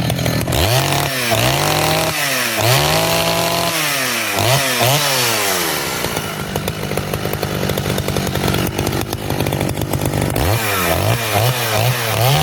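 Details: Poulan 5200 chainsaw after cleanup and new fuel line, during test cuts: crisp revs rise and fall cleanly, then hold steady under the cut without bogging or sputtering; the saw is running healthy.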